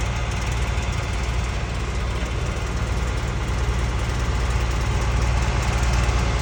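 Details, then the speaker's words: Hotshot pickup truck idling at about 1200 rpm: a loose, uneven rattle about two or three times a second. A stethoscope puts it loudest at the passenger-side motor mount bolts; the mount's heat shield is a possible source, unconfirmed. "I don't know if you guys remember the rattling noise I was telling you about that my truck is making when I idle it at about 1200 RPM."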